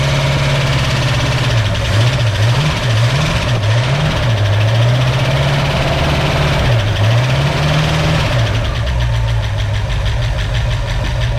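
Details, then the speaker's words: 1965 Mustang first start with used lifters: uneven lumpy idle, hunting revs, ticking lifters, sounds like it's missing; timing too far advanced, much better after setting about 8–10° BTDC. "they are used lifters so let's get some more transmission fluid in this thing sounds like it's missing"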